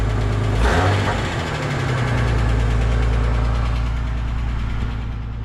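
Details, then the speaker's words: EF Ford Fairmont, cold idle before centre-section muffler replacement: after a short blip, low ragged rumble with a loose buzzing rattle; owner suspects failed baffles and a holed muffler, clamps already around the catalytic converter. "Yeah, it definitely sounds like a hole in the muffler as well."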